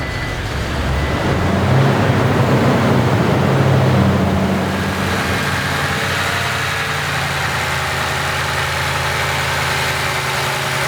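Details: 2nd-gen Toyota Tundra, first start after installing a Magnuson supercharger: the engine catches, swells in a brief rev, then drops back to an even, steady idle with no knocking or grinding, running healthy.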